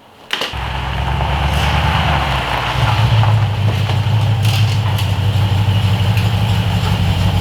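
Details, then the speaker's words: 2012 Jeep Grand Cherokee SRT8 6.4 at idle: deep, uneven, slightly lumpy rough idle; P0300/P0151 misfire in all bank 2 cylinders, traced to oil inside the upstream O2 sensor. "it's like it's just the way it Idol just like a little funny it's like a little rough"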